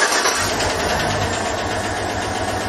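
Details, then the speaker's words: GM Chevrolet V8 with AFM/DOD; rough idle with fast, sharp ticking from a collapsed lifter, often with Stabilitrak warning, before a lifter release trick. "there are several types of failures with these systems the one most common number one most common one is by far a collapsed lifter"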